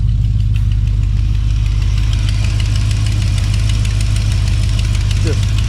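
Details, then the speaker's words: Plymouth Belvedere big-block Mopar V8 with stock exhaust manifolds, at idle after start: deep lumpy idle with a faint, quick, sharp ticking in time with firing; exhaust leaks at the manifold, getting worse. "got a little a couple exhaust leaks at the manifold I'm not really worried about that this time around they are getting worse"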